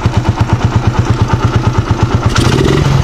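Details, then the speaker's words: Raider 150 motorcycle idling right after a local aftermarket spark plug was fitted: lumpy idle with uneven thumps near three per second and skipped beats. Misfire, engine not burning fuel properly. The plug is suspected, not confirmed. "Diba? Naririnig niya. Under man siya, pero ito nga siya, oh. Hindi niya kayang sunugin"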